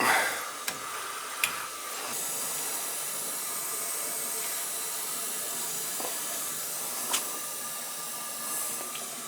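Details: Oil-fired boiler refilled after a repair call for no domestic hot water and leaking, purging through a high vent: soft, steady high hiss and a few faint clicks as air bleeds out; normal purge.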